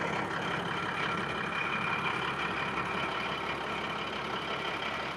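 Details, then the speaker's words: Caterpillar SS250 soil stabilizer, believed 3406B diesel with possibly 24,000 hours, started after sitting 5 or 6 years: even, steady diesel rumble at idle with no misses, knocks or hunting; normal idle. "You'd think it was brand new."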